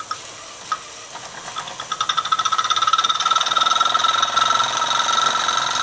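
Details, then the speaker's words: Mamod SR1 toy steam roller, probably 1965/66, runs smoothly with rapid, even chuffing over soft steam hiss; slight leak from the whistle and some exhaust water in the chimney noted. "Well, she's very, very smooth, no doubt about that."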